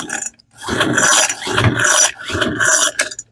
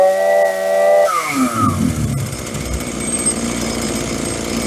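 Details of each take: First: Free roadside Troy-Bilt blower, choke on, full throttle with throttle lock, on the previous owner's old fuel, then with fuel added: raspy recoil pulls, not even a pop. No spark at the plug. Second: Free roadside Hitachi CS33EB chainsaw on the previous owner's old fuel at half choke, first start: sharp buzzing revs up, drops to a rough idle, then screams back up cleanly. The saw runs and responds to throttle normally.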